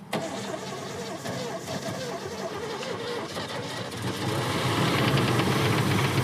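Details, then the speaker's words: Engine cranks, catches and settles into a rough idle with a regular knock at roughly three to four beats a second, knock worsening; running on old fuel in the tank, engine swap suspected, cause not confirmed. "It's knocking. >> We're good, dude. Let's just go. >> Just ignore the knock."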